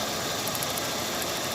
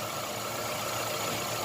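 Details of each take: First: Chevrolet Optra idling rough with jerky running and slightly long cranking: loud uneven stumbling beat with vibration under heavy hiss; misfire, coil current found low on cylinders 2 and 3, cylinder 1 fine. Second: Chevrolet Optra at idle after replacing a faulty ignition coil and a rotted, broken lead; it had misfired, jerked while driving and needed long cranking. The idle is now quiet and even with no misses, so the engine is running properly.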